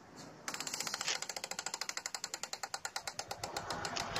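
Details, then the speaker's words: Hero Passion Pro motorcycle in for full service, oil leaking near engine: sharp regular ticking about eight clicks a second as the wheel is spun by hand, louder when riding; rotating-part click, cause unknown, chain removed next. "इस तरीके से इसमें आवाज आती है मैं एक बार और सुनाता हूं"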